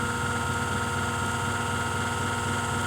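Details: Furnace blower motor bench-tested on a table at medium speed: steady hum with a thin high whine and a rough, uneven undertone; the bearings are worn out, so the motor won't keep spinning in the furnace.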